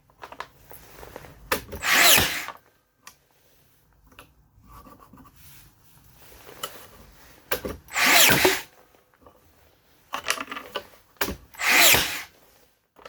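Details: Makita DBN600 nailer gives bursts of sharp clatter at uneven intervals as it cycles erratically: misfiring, cause not confirmed.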